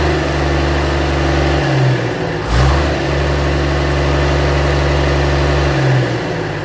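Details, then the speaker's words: 1965 Gardner 6LXB 180 boat diesel on a test run with a temporary cooling system, after being rebuilt because it failed 80 hours after a previous overhaul. It ran about 6 hours, with oil pressure set once hot. Deep, steady drone with smooth throttle dip and recovery: normal running. "Okay, so that's us done with the test run. It's now run for about 6 hours."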